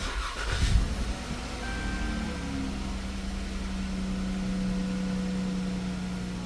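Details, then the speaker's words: Chrysler 300 3.6 V6 after oil cooler housing and line replacement and clearing multiple sensor codes: engine catches cleanly after a brief crank, settles into a smooth, steady idle; sounds okay, no code, test drive still needed. "Okay. Sounds okay. I'm gonna have to go for a drive and then Check it out. But there's no code."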